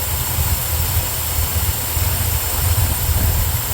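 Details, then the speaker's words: 1975 Corvette V8, new plug wires, vacuum gauge fitted: after the distributor is moved to correct the timing, a low, steady burble with an even pulse and no stumbling; owner suspects the carburetor is too big and runs rich; normal idle. "well I'd say close I need to move the distributor a little bit you'll see the vacuum get better there we go smooth it out too"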